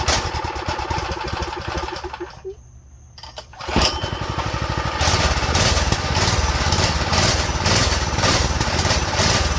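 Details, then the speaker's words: Go-kart small engine on fresh fuel after draining the old: lumpy uneven beat dies, restarts into a faster uneven run, idle low and unsteady; owner suspects dirty carb jets, emulsion tube and main jet, idle to be raised. "maybe it needs the maybe the idle needs to go up let me see we probably need to clean the Jets to be honest or like the emotion tube and the main jet"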